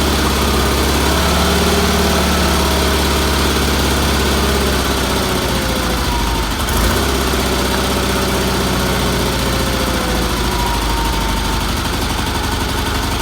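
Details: Red Roper with BFM small twin engine after a new fuel filter, fuel line and pump pulse line refit, and carburetor tuning (weak fuel pump suspected): steady, even low thrum at about four beats a second, no misses or knocks; healthy idle.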